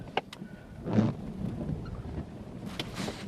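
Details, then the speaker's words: Vehicle climbing hills while driving through lake-effect snow: it runs unevenly with irregular dull thumps and stumbles under load, then settles after pulling off. Bad engine misfire, cause not yet known. "Having bad misfires right now. Hold on. I'm going to be stopped here for a second. My engine is misfiring like crazy."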